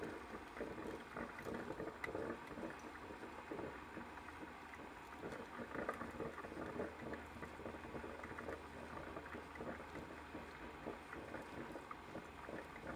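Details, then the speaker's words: Ninja coffee maker after five-beep stopping fault, fixed by turning upside down to drain trapped air from water lines: quiet steady gurgle and hiss, no beeps, brewing normally. "it's brewing let's give it a few seconds see if it keeps going"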